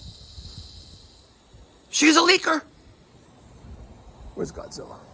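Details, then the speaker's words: Goodman condensing unit, low-side service port Schrader valve core facing up: sharp gas hiss for half a second then fainter hiss; refrigerant leak at Schrader valve, still leaking after tightening, core to be replaced. "well she's still leaking here all right we're gonna get to work now okay hear that she's a leaker mama"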